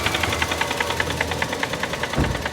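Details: Toyota GLi after an oil change: fast, even metallic tapping of about ten per second over a steady idle; persistent engine knock whose source is not yet found.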